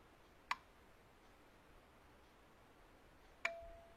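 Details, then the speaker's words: Topdon Tornado 4000A smart charger trying its repair mode on a small 12 V battery: two sharp single clicks about three seconds apart as the charger relay drops out and will not hold; battery judged unrecoverable. "Voilà, il décroche, il ne tient pas. Donc en fait, celle-ci, elle n'est pas récupérable non plus."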